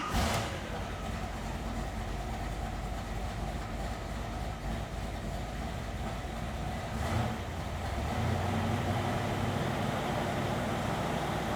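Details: 1969 Chevrolet Camaro SS style with 454 cid big-block Chevy V8, Accel distributor: deep lumpy idle at steady beat with a quick rev, no ticks or knocks; healthy.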